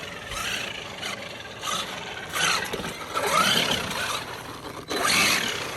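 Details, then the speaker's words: Traxxas Maxx RC truck flipped over with the motor blipped: raspy, gritty grinding bursts that rise and fall, worsening during track use, traced to a failed cush drive; replaced the cush drive housing, damper and bearings. "I was hearing a lot of gear noises, and I kind of wanted to show you guys what I'm hearing."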